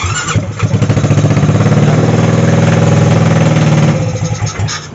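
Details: Maxsym 400i scooter with spark and injector working but previously not starting: fires after a short crank and settles into a steady, even putter of about four beats a second before shutting off; normal start and run after fix.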